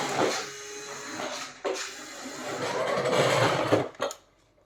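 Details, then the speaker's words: CMJ 1/10 Range Rover Sport two-wheel-drive toy RC car: buzzy electric whirring that comes and goes in short bursts with steering, harsh and strained; the steering servo is noisy, cause unclear. "got that horrible horrible servo noise so i don't know what's going on there i've never had a toy rc car that does that"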